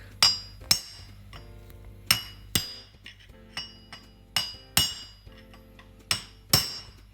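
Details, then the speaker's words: 1995 Land Rover Defender 110 300Tdi front hub rebuild after a collapsed wheel bearing: sharp, ringing hammer blows about once a second driving in the bearing race; the note changes and brightens as it bottoms out, fully seated. "Look, yep, we're literally within 10-20 thou of that mating, and when it does, what you'll hear is like a loud, it'll change note."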